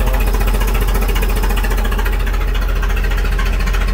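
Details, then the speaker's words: 2001 Duramax LB7 diesel after fitting new red top batteries: sluggish cranking of about three to four turns a second that never catches; no faster than before, owner suspects no fuel in the line from a leak somewhere. "Hopefully it cranks a lot faster. Not really. And it's... Nah, it's just doesn't have any fuel in the line, that's why it's not firing up."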